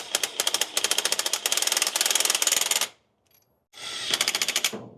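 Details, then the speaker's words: 1969 Toyota parked 33 years, cranking: labored, hard starter cranking with sharp uneven pops in two bursts, and it never starts; a kinked-shut exhaust pipe is suspected of blocking airflow, unconfirmed. "It cranks like it's popping, like it's trying to move the opposite way. Like, you know how it turns real hard, like it's popping too soon."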